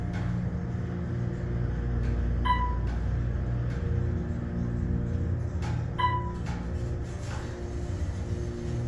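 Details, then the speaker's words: Otis Series 4 hydraulic elevator, left car: a low even pump drone runs for several seconds between chime dings before the car moves, an unusually slow roughly 10-second startup with bouncy starts. "that was was the longest startup I've ever heard these things don't make all kinds of noises do they"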